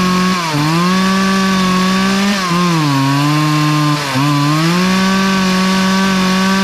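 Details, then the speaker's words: Poulan 2450 chainsaw with 18-inch bar, reassembled after chain, bar and handle work; strong steady two-stroke scream sags briefly as the chain bites, recovering each time; runs clean and pulls well cutting wood. "oh well i think it worked that was worth it brought it back to life and uh we'll have some fun with it"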